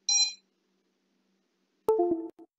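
A brief high chime, a pause, then a short falling tone sequence and silence, with no repeating beep: normal ESC power-up.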